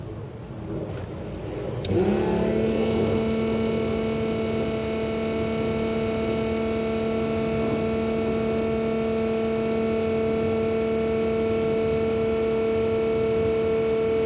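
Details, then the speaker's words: RVGUARD macerator pump emptying an RV holding tank with fresh water flush, pumping about 50 ft through a garden hose: steady even hum holding pitch under load; normal, motor gets much louder when tank is empty. "This is pumping about 50 foot right now through a standard garden hose. Should just take a minute or so for it to empty it out."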